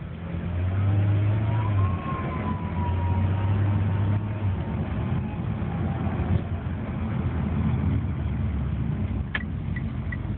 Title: Turbo Whine